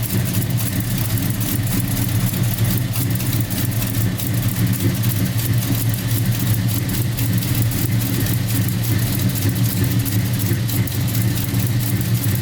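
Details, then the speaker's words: 1990 Chevy Camaro SBC 350 with Flowmaster mufflers, first start after Holley Hyperspark distributor, coil and ignition box install (fixed by tying in white wire): deep, even V8 burble, no misses or knocks, revving well; running cleanly. "I don't want to run too long because I don't have anything set up running wires that got that fire but it sounds good it's revving really good"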